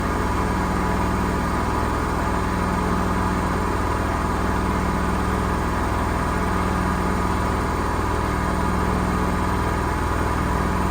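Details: Gorenje SensoCare washer spinning at 1200 rpm: loud, steady low rumbling roar from worn drum bearings. The tub does not split, so replacing the bearings is uncertain.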